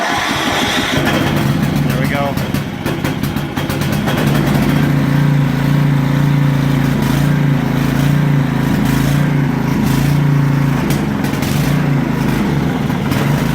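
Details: Steady, even low putter at constant pitch, no misses or surging, from a 1992 Craftsman 917.256820 lawn tractor, 12 hp Tecumseh, cold start after refuelling (suspected low on gas); runs smoothly.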